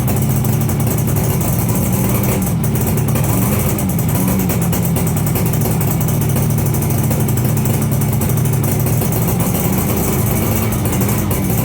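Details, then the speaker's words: 42-year-old Suzuki 200 two-stroke twin, abandoned, fitted with secondhand barrels and pistons after bad piston slap; starts quickly, cold, and settles into a steady even burble with no knocks or rattles; normal running. "well that started pretty quickly I thought there might be problems with it"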